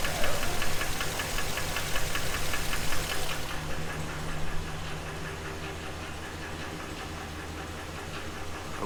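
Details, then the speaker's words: 2016 GMC Sierra 2500, 6.0 V8, 200,000 miles, first start after work on the knock, oil pressure 35: deep knock about four a second over low idle; engine knock returned, cause not pinned down. "can hear that knock coming back and our oil pressure is at 35 well maybe we didn't fix it"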